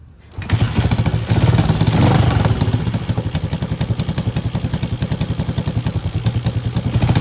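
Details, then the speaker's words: Honda CJ360 motorcycle shed find after tune-up, exhaust leak still present, carburetor not yet addressed: engine catches and settles into an even steady beat, about three to four pulses a second, no misses; normal running. "all right that sounded great so I'm going to continue to procrastinate on the carbonator"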